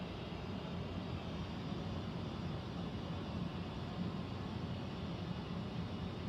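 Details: Central air conditioner air handler, heard in a bedroom and seeming to come from above the closet, gives a steady bass-heavy low droning rumble with no rhythm; abnormal humming, source not pinned down, possible leak questioned.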